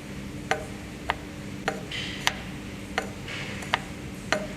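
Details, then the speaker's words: Jointer with freshly sharpened knives reinstalled, rear table height being set: mic against table, light even ticks about every half second as knives just scrape and lift the square; knife height correctly set. "so as you can see we've got a little bit of contact here you can hear it scraping"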